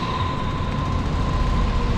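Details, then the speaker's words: Johnson Controls packaged water source heat pump after a quick hack fix for the noise complaint; cover screws were missing, so slight shaking remains, but it now runs with a smooth, steady low hum, faint constant tone, no rattle or banging: normal running. "got to put some screws on this thing cuz you got a little bit of shaking but it's nice and quiet too got a little bit of shaking on there but this thing is quiet"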